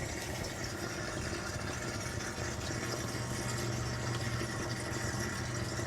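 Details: Reef aquarium protein skimmer running with tubing fitted directly into the inlet, about 52–53 dB: soft steady low hum, faint hiss, no gurgle; normal quiet operation.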